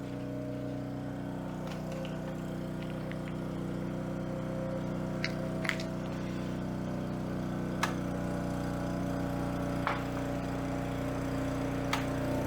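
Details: Coleman Powermate 3750 6 hp generator, stored for years with non-ethanol fuel, carrying a 1500 W heater. A constant, unchanging hum with no hunting or surging; it runs healthy under load.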